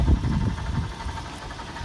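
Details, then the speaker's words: 2005 Toyota 4Runner 2WD with 394k miles: light fast rattle over a low steady idle, only at idle. At first a heat shield or the A/C compressor was suspected, and the A/C compressor was then confirmed as the culprit. "it's making a little bit of a rattling sound but that's only at idle and I think it sounds like something yeah I mean the engine purrs don't know if that's an internal sound or not"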